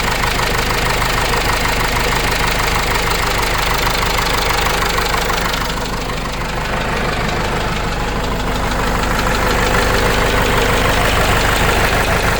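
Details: Case 586E forklift with 4BT diesel: hard, regular knock about three times a second over the idle throughout; persistent internal engine knock, cause not yet pinned down.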